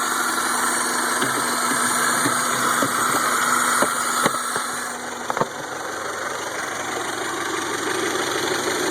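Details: 1992 Toyota Camry 4-cylinder, freshly rebuilt, hard starting and stumbling, worse when hot: idle shudders unevenly with missed beats and a sag midway; misfiring.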